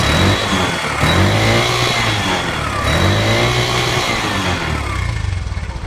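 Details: Bajaj BS3 auto rickshaw that had air filter noise and a timing problem; a timing chain fault was suspected and it is now fixed. The engine revs up and settles smoothly with an even exhaust beat and no rattle or knock, normal running.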